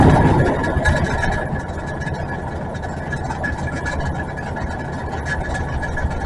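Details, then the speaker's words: Old Ford E-350 camper with 460 V8 that won't exceed 30 mph, idling: deep exhaust rumble with a loose, uneven metallic rattle from something loose inside the catalytic converter; a spark plug wire also arcing to ground. "Rob, if you can hear that rattle, that is uh [screaming] the converter rattling. I already went under there and showed you guys it was uh banging. There's something loose inside there."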